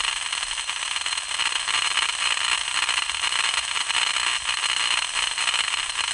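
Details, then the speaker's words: 2000 A low-voltage main power circuit breaker, recorded by ultrasound, noisy for two years: a constant harsh hissing buzz with a crackly edge that pulses faintly, with 60 Hz peaks in the spectrum. It should be silent, so something is arcing or loose. "should a 2000 amp low voltage power circuit breaker sound like this it sure shouldn't it should be totally silent and this has been going on for two years"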